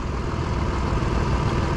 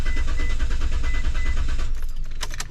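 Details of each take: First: 2004 Mitsubishi Montero after no-start diagnosis, not fully at operating temperature, idling around 810–840 rpm per meter; low even rumble with no knocks, ticks or misfire: normal idle. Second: 2004 Mitsubishi Montero cranking, no start: starter spins the engine at a steady, even pace of about three turns a second but it never catches and stops; spark confirmed by timing light flashing, so no fuel getting through.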